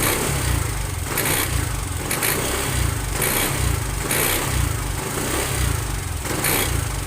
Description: TVS Jupiter 125 bs6 engine noise problem in Tamil#youtubeshorts @DLAutoGarage 6369186009 / #tvsjupiter125 / #tvsjupiterbs6 / #enginenoise / #problem